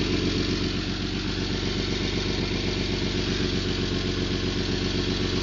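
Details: 1991 Toyota Land Cruiser FJ80, 3F-E 4.0L inline-six, 229,000 miles, idling: sharp puffing tick, about four per second, in time with firing. Loud exhaust leak around the leftmost catalytic converter and O2 sensor.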